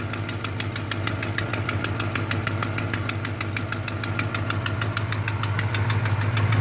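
A sharp, even puffing tick, about three a second, sits over a steady idle: that's a classic exhaust leak.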